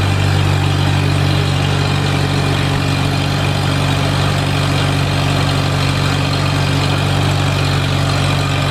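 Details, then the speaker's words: Farmall Super A tractor, first run after ground and wire repairs restored spark, warming up: steady even low rumble, regular four-per-second beat, no knocks or misses; smooth normal idle. "I'm just tickled to death this thing's running you don't know how bad it was for me to shut that thing of"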